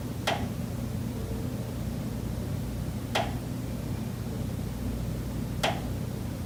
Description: Pipes behind the kitchen wall still knocking constantly day and night. This is audible through the entire kitchen and living area.